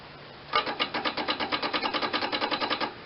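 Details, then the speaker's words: John Deere 318 lawn tractor not started in a long time: fast, even solenoid clicking with no cranking; rapping the starter changes nothing; contacts suspected rusty from sitting, not confirmed. "I hear the starter trying. The solenoid's clicking anyway."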